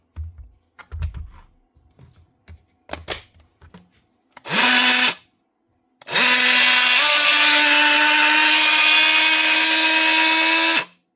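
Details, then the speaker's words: Power tool on the bench, loud, even high-pitched buzz ramping up and holding steady after a short test burst, running unloaded; tool works normally, just loud. "Sounds like a multi-tool. She's loud, but it actually does work."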